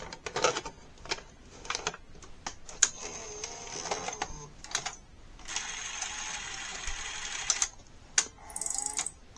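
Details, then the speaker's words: NEC SuperBeta HiFi VCR VC-N65EU, after the loading-cycle switch was adjusted and oil was cleaned off the slipping cassette housing belt with alcohol: light clicks and motor whirs as the tape threads, then an even run. Plays normally, though the drum servo speed problem remains. "now we can hit play and it's playing good now"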